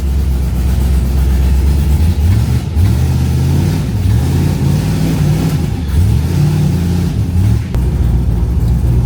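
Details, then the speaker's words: 1974 turbo Camaro at idle: deep, lumpy, uneven loping beat with the engine breaking up; it wouldn't idle and earlier made valve-train clunking; owner suspects a blown header gasket and plans a compression check. Rough running. "Oh, she broke up bad. That was the worst breakup we've had. I'm not ready to break up with hot day. Oh, that's bad. Yeah, that doesn't sound good, y'all."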